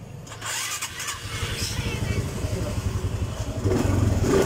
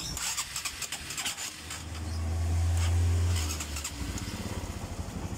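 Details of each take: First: Honda Supra X 125 fuel-injected motorcycle with a hard-to-idle complaint: engine catches quickly and settles into an even low beat, picking up cleanly on a light rev; running normally. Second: Honda Supra X 125 early fuel-injected (around 2008), hard to idle and using too much fuel: fuel pressure only about 30 PSI from a weak pump. The idle is uneven and stumbling, swells briefly with throttle, then falls ragged and dies when the throttle is released.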